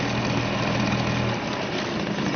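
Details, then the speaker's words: Suzuki DT 2.2 HP two-stroke outboard running in a test tank, throttle raised a little so cooling water jets faster from two holes; steady even buzz, no misses or knocks, running healthy. "If we pull on the throttle a little bit, that will come out a bit faster."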